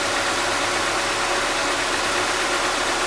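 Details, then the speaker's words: Slightly high idle with the radiator electric fan running at high speed; a strong steady rush of fan air covers a faint engine idling a little fast. "rotação ali tá um pouco elevada a ventuinha tá aqui o eletroventilador velocidade alta"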